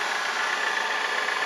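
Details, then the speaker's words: Late-1970s Kent 2 HP Bridgeport-clone mill, spindle motor on a newly wired VFD sped from 30 Hz to 60 Hz, normal speed: steady high whine over an even hiss, no knocks or rubbing; spins smoothly. "so now we go you can hear it winding away so if I kick that up there is 60 HZ so that's uh normal running speed as indicated on here"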